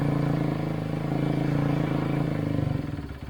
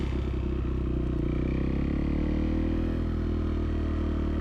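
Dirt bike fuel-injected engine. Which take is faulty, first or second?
first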